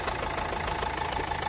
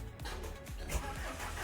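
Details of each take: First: Old Renault Duster diesel with a long crank on morning starts, bonnet open: a rough chuffing knock about seven times a second at idle, with unburnt diesel smoke. Misfire. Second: Renault Duster diesel with morning long-crank starting problem, first cold start next morning after replacing faulty injector washer: short crank, catches at once, steady even clatter with no misfire; healthy cold start.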